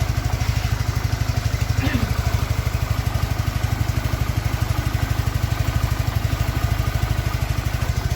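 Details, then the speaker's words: Suzuki Nex fuel-injected scooter after rebuild with new piston (old piston destroyed from running low on oil, causing white smoke and rough sound): quick, even exhaust pulses at steady beat, no knock or rattle; smooth healthy idle. "Suzuki Next sudah jadi ya teman-teman. Ini hasil akhir, suaranya juga halus."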